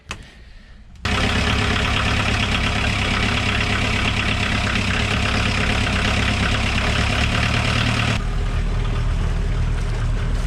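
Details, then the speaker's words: Westerbeke diesel on a Tartan 37 sailboat, started after months unused; brief crank, then steady, even knocking idle with no misses, with a little smoke or moisture at first; normal idle. "And now it's time to fire up the engine. Lindy's going to be watching it down below when I push the button. Yeah. There, good old Westerbeek."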